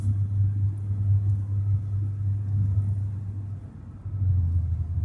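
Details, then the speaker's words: 1989 Toyota Cressida revived after sitting for years, on the road: low, smooth, even rumble with no knocks, ticks or whine; very quiet and smooth; healthy engine and drivetrain. "This thing is so quiet. It's just smooth."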